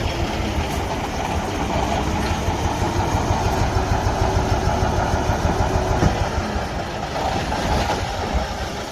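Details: Cummins ISX15 diesel truck engine idling with a deep, loose chug that stumbles unevenly: a misfire from internal engine damage, with tailpipe smoke and low power.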